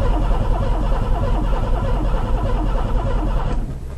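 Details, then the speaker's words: Oldsmobile Ciera cranking on old gas, owner suspecting clogged injectors: an uneven, labouring churn at about 100 beats a minute with a rough hum from a cheap eBay fuel pump that sounds bad. It does not catch, and the cause is unconfirmed. "That's a weird sound on that pump. It's hitting, trying to anyway. That pump sounds like crap, cheap Chinese junk."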